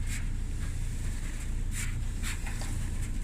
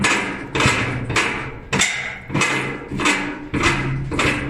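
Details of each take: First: Kenmore dryer drum spun by hand after the drum was cleaned and reinstalled; steady low rumble with a few brief high scuffs and no continuous squeal, so the drum rotates smoothly and sounds normal. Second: Kenmore dryer, drum removed, support rollers spun by hand: one gives a rough, squeaky rumble, showing a worn drum support roller; plan is to replace both rollers.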